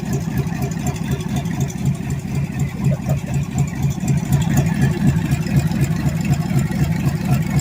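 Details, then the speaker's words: Chevy 350 small-block budget rebuild, first fire-up on the floor with temporary open headers: steady, lumpy V8 idle with an even low beat, rough through the headers but firing cleanly; 6 psi oil pressure, normal idle. "Sounds like absolute crap with these headers on it. But we got 6 pounds of oil pressure. Sounds pretty good."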